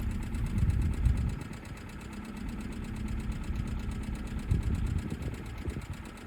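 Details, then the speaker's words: Hyundai budget car, idling after easy start, codes show cylinder 3 and 2 misfire plus catalyst efficiency below threshold bank 1; low lumpy idle with uneven stumbles and missed beats; owner suspects bad fuel; misfire at idle. "you can see here cylinder 3 and a cylinder 2 misfire so this is probably because it's got crap"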